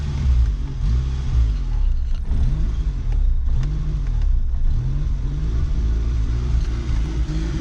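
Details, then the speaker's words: VW Polo MK2 coupé, carbureted 39 hp, woken after sitting since 2018, choke partly on: low, uneven idle wavering up and down; still has vacuum leaks, needs new distributor cap and carb parts, sometimes stalls; rough idle from vacuum leaks. "Idle is not superb, as it still has some vacuum leaks, and I still have to get a new distributor cap and stuff for the carb as well."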